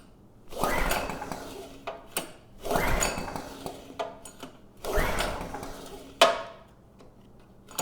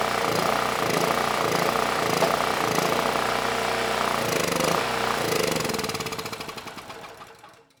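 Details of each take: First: PowerMate generator (model PM0123250), said to run but make no power: three recoil pulls spin the engine without firing, no start possibly from a closed fuel valve and water in the carburetor. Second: Free generator (model PM0123250) that reportedly ran but made no power, started on starting fluid: the small single-cylinder pops along fast and evenly, then winds down as the fluid runs out. Engine sounds good; the fuel system needs cleaning.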